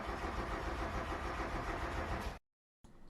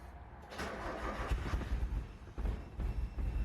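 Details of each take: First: Mazda Miata won't start after heavy rain leaked through the soft top: steady cranking about 3.5 turns per second for two seconds, never catching, with no fuel pump prime whir at key-on; failed fuel pump relay, fixed by hard-wired bypass. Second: 1990 Mazda Miata that would not start after heavy rain, fuel pump relay bypassed by hard-wiring the pump to ignition power: brief crank, then a low, slightly uneven idle. Runs a little rough; this is a temporary fix.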